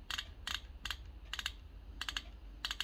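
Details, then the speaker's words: Rover P6 rear brake caliper, UK driver's side, during a partial rebuild: the handbrake lever is worked to ratchet up the self-adjuster, giving crisp ratchet clicks in small groups as the pads are wound tight on the disc. This should be done before bleeding the brakes. The adjuster is clicking normally. "And you can hear it clicking while it's adjusting. Now that's what you should be doing to get the pads tight on the disc before you attempt to..."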